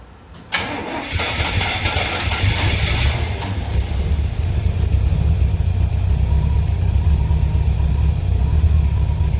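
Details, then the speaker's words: 1963 Chevrolet Impala, Holley carb bowl primed by hand, choke tied off: cranks, catches, shaky uneven idle that won't keep running; owner suspects not pulling fuel from tank. Starts then stalls. "I've cranked this thing about 5 or 6 times, and it just won't keep running. Now, I don't believe it's pulling up the fuel from the tank, so I'm gonna add me 3 or 4 gallons to the tank and see if I can keep it running."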